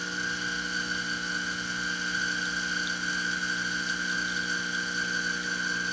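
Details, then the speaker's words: Exbobar espresso machine after full service, brewing at 10 bar pump pressure with ~1.2 bar boiler, coffee overdosed: constant buzzing pump with strong high whine, loaded and slow, labouring against the overpacked puck; crema still good. "I think I put a little bit too much coffee in this one. That's why it's going a little on the slow side."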